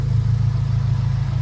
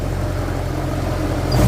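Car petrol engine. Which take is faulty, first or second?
second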